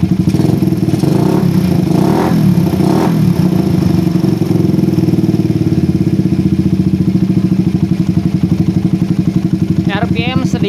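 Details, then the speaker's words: Suzuki Satria FU with PE24 carburetor: lumpy uneven low-speed beat, revs hang then drop slowly; rich low-rpm mixture caused by an oversized, too-short needle jet; planned fix is moving the needle clip to the top. "lambat turun RPM bawah kebasahan dan ini adalah penyebabnya karena kita matiin dulu motornya ini penyebabnya karena tadi diameter head nozzle yang terlalu besar dan juga terlalu pendek guys ya"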